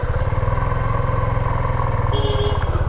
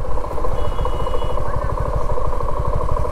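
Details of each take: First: 2024 Suzuki V-Strom motorcycle just after a cold start: fast, even thumping idle with steady firing and no knocks; healthy now, though the owner says the sound turns tractor-like after riding a while. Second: 2024 Suzuki V-Strom motorcycle, owner in dispute with dealer: steady rapid clatter, roughly ten knocks a second, over the low engine beat when the throttle is released; knocking rattle of unknown cause.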